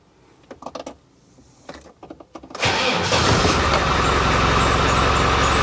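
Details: Land Rover Defender 110 diesel first start after repairs including cam kit and timing gears, coolant not yet added: a few clicks and clunks, then it cranks, catches at once and settles into an even, steady idle clatter.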